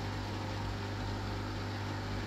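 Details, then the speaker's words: Beko smart inverter dishwasher, program 8 test after freeing a drain pump stuck from over 5 months of non-use: an even soft whirr and low hum with no grinding or rattle; the drain pump runs normally. "Now drain motor, you can hear the noise. Now drain motor is working."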